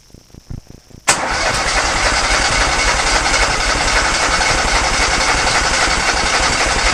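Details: Kohler Command engine on a Cub Cadet garden pulling tractor, test-fired after the fuel system was redone and the fuel pump primed: a few soft cranking ticks, then it catches at once into a steady, even beat; starts and runs normally.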